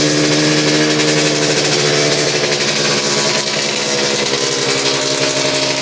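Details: Suzuki RGV 250 VJ22 two-stroke under restoration, fuel on reserve, after recent carb issues that seem resolved: loud buzzy crackle holding a steady fast beat with no dropouts or hesitation, running cleanly.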